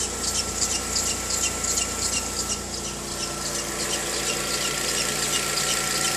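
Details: VW Gol G6 2013/14, cold morning start: high chirpy squeal about three times a second over the engine; dealer first blamed a too-hard alternator belt, but the fault was the timing belt, replaced under warranty.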